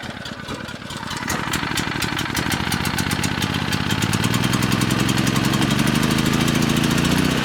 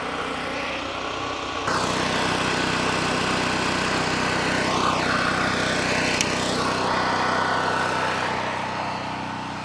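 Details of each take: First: Brand-new cheapest Chinese mid-size gas generator on first start; sharp rapid ticking puff on each firing pulse over engine drone, also oil leaking from engine bottom; exhaust leak. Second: Cheap Chinese mid-size gasoline generator, first start: steady, even buzz at constant speed, no knocks or misses; running healthy after oil stopped spraying from the muffler.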